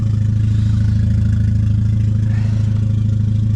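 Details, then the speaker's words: Petrol car ("the egg") idling steadily after misfire repair, settled down after running a while; deep even hum with regular soft pulse, no stumbles; normal warm idle, rear main leak still suspected. "And yeah, it actually sounds decent now that it's idled down and it figured itself out. She sounds all right. To be honest, sounds quite okay."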